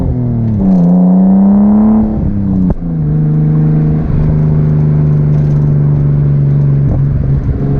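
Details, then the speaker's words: 1989 Nissan Skyline R32 GTS-t on a test drive after fitting new cheap coil packs, exhaust audible: an even, rising drone pulls cleanly through a gear change with no stutter or popping; smooth acceleration under boost. "I don't know if you can hear the exhaust but I don't know why these RVs sounds so good but do they sound good doesn't matter what the RPM is"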